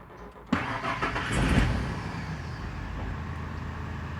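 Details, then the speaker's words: 1999 Ford F150 4.2L V6 with backfire, misfire and P0174/P0340 codes: a rough, hesitating crank that catches with an uneven surge, then idle stuck above 1,000 rpm, running badly, truck shaking and backfiring. "That was a rough crank right there. I'm not sure if the camera could pick up the way the engine's hesitating."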